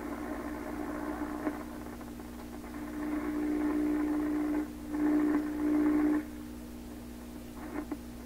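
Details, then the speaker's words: 1928 RCA Victor Model 28V after its glass cartridge resistors were replaced with standard resistors. A hum with a whistle rises and drops as the dial moves, oscillating at the top, with only noise signal and no stations received. "Well, it's definitely receiving something. I mean, this sound you hear now, that's a noise sound. All radios in here pick this up. That's a real noise signal."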